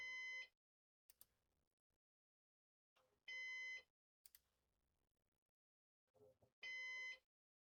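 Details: Used Synology DS418 NAS during first setup with four drives: steady high half-second beep repeating about every three seconds with quiet handling between.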